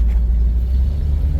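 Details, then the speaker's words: 1978 Jeep Cherokee with AMC 360 V8 and 3-speed automatic, on the road: deep, steady, low exhaust rumble, even and unbroken, with no misses or knocks; healthy exhaust note. "is this exhaust note. It has just such a beautiful, this AMC 360, I can't talk today, can't ever talk. It just has a beautiful exhaust note."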